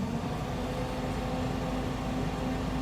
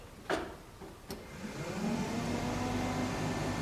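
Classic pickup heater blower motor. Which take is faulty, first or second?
second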